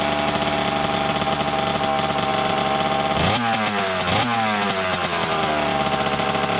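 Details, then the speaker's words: 1988 Kawasaki KX 80 two-stroke running for the first time in 15 years after being flooded; crisp buzzy steady running with two sharp throttle blips rising and falling cleanly; engine runs normally. "voilà enfin enfin enfin il a démarré cette ruche je n'y croyais plus du tout"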